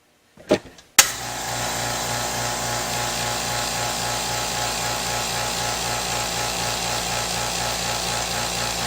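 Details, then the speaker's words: California Air Tools 2010A ultra quiet air compressor running: brief handling knocks, then low even hum with steady pulse and light hiss; averaged about 75.5 decibels versus over 95 for old pancake compressor; running smoothly, normal. "[Music] so quite a noticeable different I think you can see it was probably averaging what shows an average around seventy five and a half decimals compared to the other compressor which was easily above 95 decibels so a noticeable difference in sound"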